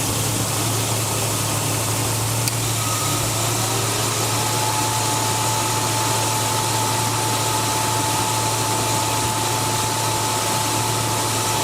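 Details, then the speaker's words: 1999 Jeep Cherokee Sport idling with the AC on max after PB Blaster was sprayed on the squeaking AC compressor: a steady, even hum with no squeak on startup or at idle; normal idle after the fix. "So now I had the AC switch on max when I started and no squeak on startup. And now you can hear uh all of that has gone away."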